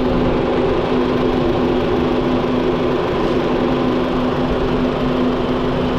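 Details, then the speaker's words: Honda Jazz (automatic), formerly seized engine rebuilt, scan shows engine OK, only radiator left; quiet smooth idle with steady low hum, no knocks or ticks, only the fan noisy on top; normal idle. "Tahimik na sir, oh, yung makina mo. Pan na lang maingay."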